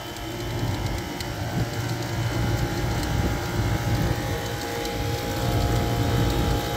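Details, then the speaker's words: Scroll compressor running after a temporary repair on an old HVAC unit: steady hum with a rough, uneven churning of about three pulses a second; refrigerant pressures are dragging; suspects the scroll set hitting something, or oil. "not doing it right now is a loud knocking. sound it's kind of making a funny sound suction presh- I mean, it's got refrigerant pressures, but they're kind of dragging."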